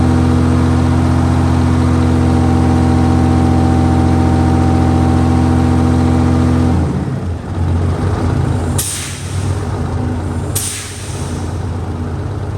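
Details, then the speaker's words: 1968 Dodge C500 truck idling after air-system repair; steady idle, then two sharp air blasts seconds apart as the governor cuts out at 120 PSI; air system working, normal governor cut-out purge. "Rub the air pressure right out at 120. Well, that about puts a wrap on this one. We hit 120 PSI. Um, that's working good."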